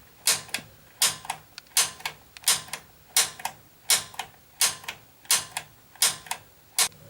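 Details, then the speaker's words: Gas water heater after gas control valve replacement, pilot lit after purging air: sharp crisp double igniter clicks about 83 per minute, quiet background; normal pilot ignition, status light then blinks every 3 seconds. "So the pilot's on. You hold in the button until this status light starts blinking."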